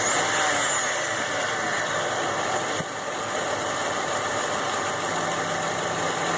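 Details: Ford F150 at idle: steady idle with a light, quick tick repeating a few times a second over the engine hum; engine ticking, source unknown.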